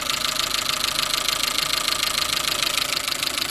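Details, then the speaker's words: Chevrolet Matiz after an engine rebuild (valve stem seals, head gasket, skimmed block, service), oil level fine: fast, even light ticking at warm idle, maybe tappier than before; the noise predates the rebuild, and the owner suspects a tensioner or pulley, not the engine itself. "I don't know if you can hear that, maybe it sounds a bit more tappy, or maybe it's just because I've not had the car for a while."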